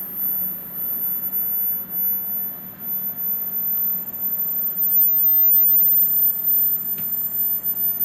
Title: Klipsch Promedia 2.1 subwoofer whine noise